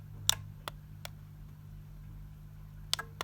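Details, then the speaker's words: Eagle 5-gang remote control extension lead switching socket on and off: sharp single clicks over faint mains hum, clean and crisp; socket relay switching normally. "listen that pinging is the actual socket so as well as this flashing"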